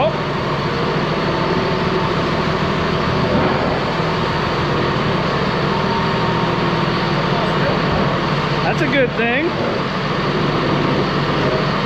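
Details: Ex-US Army Cat D6R bulldozer diesel, 822 hours: settles into a steady, even rumble, no misses or knocks; healthy, zero blow-by, hydraulic leaks to fix.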